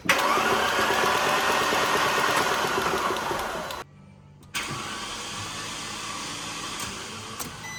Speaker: So there's a pressure there, but there's still no pressure on the engine at all.